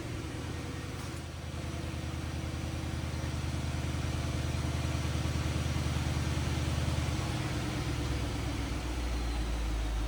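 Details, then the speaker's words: Auction-bought L322 Range Rover with 114,000 miles at idle: a steady air-suspension pump hum under a smooth idle shifts pitch as the suspension raises, working normally. "oh air suspension popped up a little bit that's functioning"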